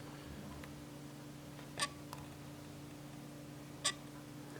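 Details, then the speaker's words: Canon EF 100mm f/2.8L Macro IS USM lens with the shutter half-pressed in a quiet room: two brief soft whirring bursts about two seconds apart as the image stabilizer engages and disengages. This is normal for the lens. "so you probably heard the is mechanism worrying inside there"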